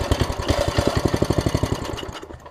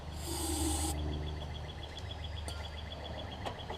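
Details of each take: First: Small engine, full tank of gas: fires on starter fluid with quick pops for about two seconds, then dies; owner suspects a bad carburetor diaphragm. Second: 1960s Snapper Comet rider small single-cylinder after swapping a bad spark plug that was arcing all over the electrodes: catches after cranking and runs with an uneven chuffing beat, semi-running but still rough.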